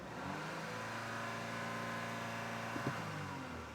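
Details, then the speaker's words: 2018 Audi Q5 2.0L with P0299, check engine light and major power loss, dealer advised turbo replacement: revving brings barely any turbo whistle or hiss, quieter than it should be; turbo not spooling, low boost. "It's supposed to be louder than that. I mean, some of you are familiar with this. When you rev up a vehicle that has a turbo, usually there's a little hissing sound going on when the turbine of the turbo is spinning."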